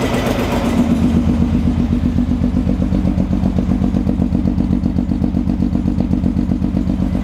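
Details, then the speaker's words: Engine with timing just corrected, at idle: uneven, lumpy running with a hollow, regular clatter about two to three times a second. A sensor is possibly missing, and valves are suspected damaged during the first start attempts, pending a compression test. "It's not running smooth. So And maybe I'm because hearing, we're like, missing the sensor here, possibly. And I'm hearing a mechanical noise."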